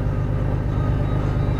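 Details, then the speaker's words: Engine idling after a water pump replacement: loud, steady, even low rumble with no pulsing. Idle is smoother than before, when the shifter shook violently; the owner suspects the VTC gears, known to need replacing, may be noisy. "any case that sounds normal it's a smoother at idle I mean before my car was shaking and at idle and now nothing"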